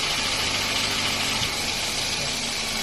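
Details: Toyota Wish at idle with AC on: steady idle with a thin high whirring hiss over the engine, likely from the compressor or its bearing.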